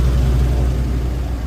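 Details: Isuzu NPR 6.6L gas engine idling with a steady, even low rumble after replacing the failed brake vacuum pump that caused a buzzing noise; now back to normal.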